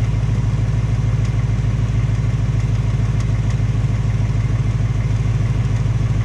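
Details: 2018 Mustang GT, second replacement engine with only 1,200 miles, at idle: steady V8 rumble with fast, even tapping about three times a second; same tapping/knocking as the first engine, possibly piston slap, undetermined.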